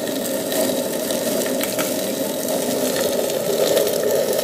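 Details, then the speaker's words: Waste oil boiler burning contaminated fuel: pure water got into the burner pot, thinning the oil and causing smoke; constant crackling sizzle with sharp pops over a hiss as the water boils off. "just pure water coming out of that watch see okay that's the end of it today now that water's going to get down there unless it evaporates out okay"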